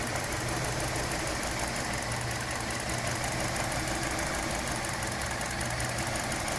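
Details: 2017 Hyundai Elantra intermittent engine misfire at idle, uneven stumbling beat with periodic dips and shakes; ongoing issue that mechanics couldn't reproduce, No. 2 coil already replaced and computer updated; console and engine bay views.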